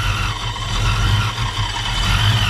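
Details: 1987 Ford Mustang LX 5.0 V8 automatic, Vortech A-Trim supercharged: deep choppy lopey rumble rising briefly on throttle, pulling cleanly and sounding healthy; normal rev.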